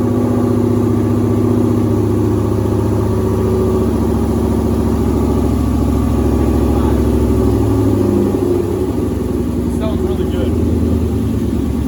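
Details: 2007 Mustang GT with swapped Coyote V8, no control pack, first start-up with custom exhaust: steady even idle with deep regular lope, no knocks or ticks; clean healthy running, no check engine light.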